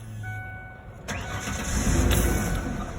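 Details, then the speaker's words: 2002 Ford Explorer 2-door after fuel pump repair: brief pump hum, then steady cranking about three and a half beats a second that never catches; fuel rail line not seated. "there's another half a gallon of fuel wasted i wonder if it's on all the way this"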